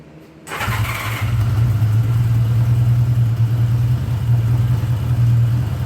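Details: 1979 Honda GL1000 Gold Wing just after valve seal replacement to fix excessive smoking: starts at once, settles into smooth steady low idle with even beat, no stumble; normal idle.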